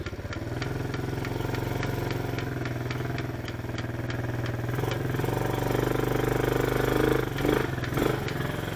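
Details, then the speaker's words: Chinese ATV riding forward: steady light clicking about two per second over the small engine, only when going forward, not in reverse, gone when throttle applied; owner suspects the transmission, unconfirmed. "Now, let's go forward. Hear that clicking? Just click, click, click, click. Only happen when I'm going forward."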